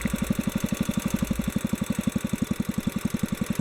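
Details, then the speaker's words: Kohler K181 single-cylinder, carburetor adjustment: thumping about ten beats a second turns uneven and sags as the mixture screw is backed out past the stable point; lean mixture stumble, too far out. "i'm going back out where i started and you can hear it slowing down already so that's too far"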